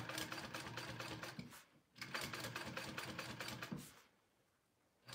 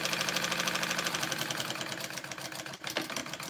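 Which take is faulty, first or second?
second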